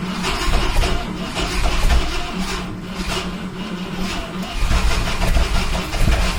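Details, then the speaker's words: 1971 Ford F100 big-block V8 farm truck wired up with makeshift battery cables: the starter churns steadily with a few uneven firing puffs, nearly catching, but the engine never starts; wiring was possibly reassembled backwards. "Oh, it's so close. Ah, come on."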